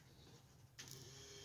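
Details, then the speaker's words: Chevy Nova electric fuel pump and regulator, pump wired straight to the battery: silence, then an instant steady hum with light hiss as it primes, building pressure with fuel heard returning; pump works, though a leak was seen. "That's a good sign. Boom. Fuel pressure. And I hear it returning, so that's good."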